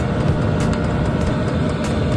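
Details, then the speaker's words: Hcalory diesel heater running off a 300Wh LiFePO4 battery, fan ramped to level five in heating mode: steady low fan roar with faint regular fuel pump ticks, blowing hot air, normal operation. "an mode ramped up to five if you can hear the pump ticking away there so we're in heating mode"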